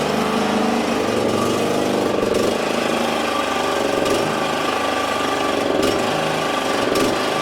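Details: Exmark 21-inch mower, checked after suspected grinding noise from the wheels, clutch sounding fine: engine holds a steady, even buzz with no misses, knocks or grinding; runs normally.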